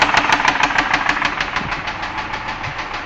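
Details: 2001 Ford Escape 3.0L V6 at steady idle: sharp, even knocks about three per second that never let up. Source not pinned down.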